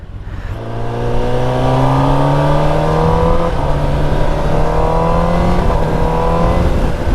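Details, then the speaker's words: Kawasaki ZX-10RR on a ride: pulls cleanly to high rpm with a steady rising tone and no misses, while it jerks at low rpm; owner suspects fuel quality (unknown octane, E20 ethanol). "R P ಎಮ್ಮಲ್ಲಿ ಕರೆಕ್ಟಾಗೇ ಇದೆ, low R P ಎಮ್ಮಲ್ಲಿ jerk ಹೊಡಿತಾ ಇದೆ."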